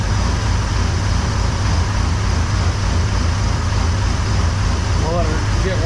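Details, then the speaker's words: Chevy C10 454 big block with a top-end tick, after checking rockers (one loose, possible collapsed lifter) and fitting a new battery: a deep, steady cold V8 idle with no ticking, much quieter than before. "no I can tell you right now it's much quieter up"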